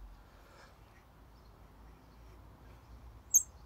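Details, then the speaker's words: Mini Cooper S R53 electric cooling fan turned by hand: near-silence, then one sharp high squeak from a rusty bearing that binds and makes the fan hard to move, causing overheating; the fan was replaced. "the bearing is kind of rusty and you can hear the the noise it makes and when it starts to squeal like this it becomes really really hard to move"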